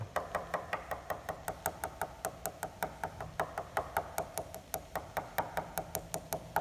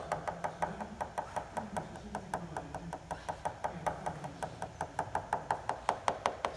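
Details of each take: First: Tap test on a dent in the top surface of a composite glider wing above the main spar at annual inspection: taps turn dull where the outer skin has separated from the foam core; repair requires removing and replacing the skin. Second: Tap test on a composite glider wing at annual inspection, over a dent in the top surface above the main spar: quick, even, crisp bright clicks about three a second. Solid tone of well-bonded skin, with no delamination there.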